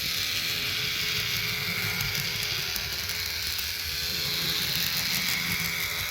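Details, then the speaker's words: Roco BR 290 (V90) model locomotive with both bogies driven, otherwise running well. A buzzy, high-pitched whir with fast rattling; owner guesses the motor rather than the gears, possibly needing oil. "I don't know why but I'm having a guess that this is just the engine doing its work and not all the gears that is making all that noise"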